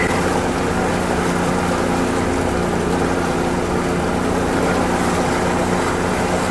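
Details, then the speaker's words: Oil-injected two-stroke outboard on Lake Washington, idling; steady, even drone over water with no misses, knocks or surging, sounds good and runs smoothly. "Motor sounds good. Idling nice."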